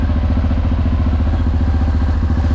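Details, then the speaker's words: Crashed motorcycle under repair, first run after long storage on old German fuel. A steady, even low idle thump with a regular beat and no knocks or misses; the owner says the engine runs nicely and softly, a normal idle. "Prezadovoljan sam. Prezadovoljan i presrećan. Mašina radi lepo meko."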